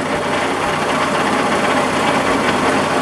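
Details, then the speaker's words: Early-1950s Massey Harris 30 tractor, cold start after sitting months; constant dry rattle over a loud busy idle from the clutch throwout bearing, not replaced when the engine was out. "now can you hear that rattling and carrying on in here that's my throw out bearing"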